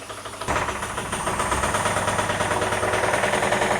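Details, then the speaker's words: 1978 Cadillac DeVille engine sitting unrun for about 15 years, no oil pressure gauge: catches and settles into a rough idle with a light steady tapping about three per second, smokes a bit; stuck valve knock, bottom end suspected. "um well it starts so but yeah she's knocky smokes a bit"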